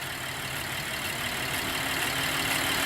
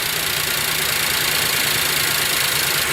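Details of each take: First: 2010 Chevrolet Traverse after iridium spark plug replacement, throttle body cleaning and clearing of codes, including earlier random and cylinder 6 misfires. Steady, even, low idle with no stumble; there is a slight shake but no missing, and it runs much better than before. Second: Chevrolet Traverse/GMC Acadia/Buick Enclave idling after an iridium spark plug change with the mass airflow sensor unplugged, smoking from oil drained into the cylinder head; uneven, lumpy idle under a loud hiss, irregular beats about four a second; rough idle, cause unclear.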